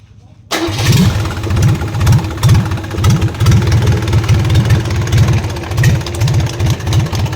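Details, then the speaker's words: Isuzu 4BC2 diesel in a jeep, just after start: a deep rhythmic knock about twice a second over the idle. At first it was thought to be inside the engine, but it was found to come from the injection pump. "Sa part ng video na 'to, maririnig natin ang tunog na lumalagutok na akala natin ay sa loob ng makina."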